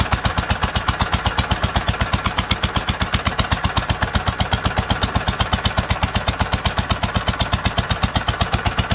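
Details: 1946 International Harvester LBB 3-5 hp water-cooled single-cylinder engine, first cold start after long storage: crisp even thump about four times a second, perfectly steady, no misses or knocks, normal running.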